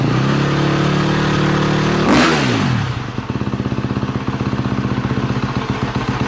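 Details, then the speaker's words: KTM 250 SX-F four-stroke dirt bike, first start after sitting a year, battery reinstalled: a sharp rev blips and drops back to a crisp, steady idle thumping about four times a second; engine runs normally. "as you can see it works everything's good so I warmed it up for about five minutes"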